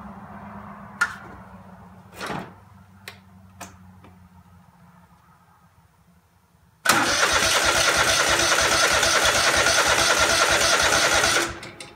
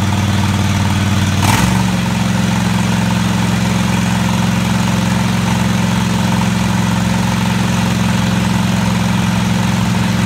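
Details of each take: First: Craftsman DGT 6000 engine first test start after reassembly (new fuel line, fuel pump mounted, air cleaner, oil change, cleaned plugs): starter turns evenly about three beats a second for four seconds, never catches; fuel filter just filled, not yet at carburetor — cranking, no start. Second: Craftsman DGT 6000 twin-cylinder engine after reassembly (new fuel line, fuel pump mounted), first run: brief rev then smooth, steady idle with even low thrum — normal idle.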